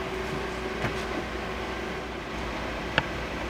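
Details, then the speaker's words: Phresh Hyper 8-inch inline ducting fan at the 30% speed setting, about 60 dB measured 12 in from the fan: a steady, even airy hum with a faint constant tone, no rubbing or rattling. Normal low-speed running. "so let's go ahead and and turn the fan on I have it at a 30% setting"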